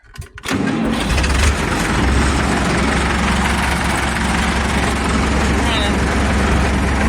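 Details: Deutz 6207 tractor, F4L912 diesel, previously seized after sitting several years, first start after reassembly in neutral: quick crank, fires almost at once, settles to steady even low idle clatter: normal start and idle.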